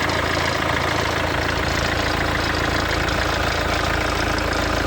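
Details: Mercedes W212 with OM651 diesel at cold start, first 30 seconds: a dry, busy rattle over the steady idle clatter; owner suspected alternator clutch or timing chain, later fixed under warranty.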